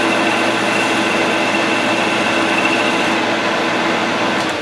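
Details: Grizzly G0776 lathe taking a light cut in aluminum with a high speed steel form tool, no lubrication: steady even spindle hum with a faint constant tone and light cutting hiss. Normal form tool cut.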